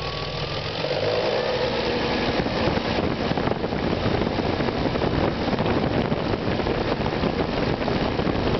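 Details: BMW E36 M3 with S50B30 engine under light, slow revs: busy, dense, even clattery rattle from the top end with no single knock; owner suspects VANOS or the timing chain, not confirmed.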